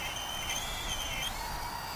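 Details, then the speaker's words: Full Speed Bat-100 1S brushless mini quadcopter with updated motors, just armed and flying in strong wind: sharp high shriek over motor noise sliding with throttle, heard straight away; tiny brushless motors squealing, with more punch than the originals. "straight away I can hear the motors squealing and I have seen that before with these tiny brushless motors"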